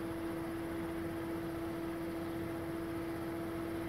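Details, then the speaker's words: Attic fan sold as whisper-quiet sounds like a vacuum cleaner: constant loud rushing air with a strong mid-pitched hum, louder than it should be and getting louder. "my fanatic whisper-quiet sad can you hear it sounds like a vacuum cleaner comes down to the house it gets a lot louder too"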